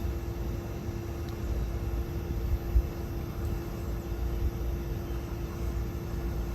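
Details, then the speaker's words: 12,000 BTU mini-split heat pump outdoor unit at about 29°F outside: steady compressor hum and low rumble with the fan off during defrost, drawing about 1,000 W until the fan comes back on; normal heat pump defrost cycle. "this is what it's going to use when it feels like it needs to um the frost itself because in the winter time uh it'll often do this depending on how cold it is"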